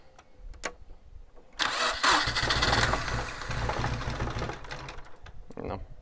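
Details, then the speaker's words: V2 generator/cogenerator unit on test after many changes, hard start: catches with a rough burst of firing for a few seconds, then fades and stalls; owner suspects too little fuel. "I think I need to add a little more gas because it's small okay another approach to a little gas I didn't want to add too much"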